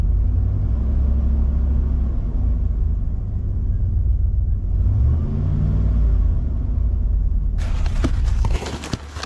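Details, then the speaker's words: 2000 Dodge Ram 1500 after replacing the engine computer with a reprogrammed unit, the previous one having made it run rough and die: deep, even rumble swelling smoothly with a short throttle blip, no misses or knocks. "So far, so good, y'all. Give it a little gas."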